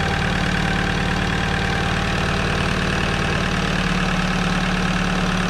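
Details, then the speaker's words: Alfa Romeo 156 petrol engine idling roughly and unevenly with a clattery tick, about four a second, over the engine note; an evident lubrication problem has left the cam lobes chewed and shaved down. "Motor má evidentní problém s mazáním a projevuje se tím, že jsou kousané vačky, které jsou prostě už oholené."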